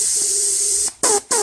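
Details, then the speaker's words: VW 01P four-speed automatic transmission on/off solenoid, bench tested with air on the valve body: hiss starts and stops cleanly with each switching, quiet gaps when off, solenoid sealing for now but intermittently leaks when energized. "there we go and that's working okay again off on and you can see there's no leak there"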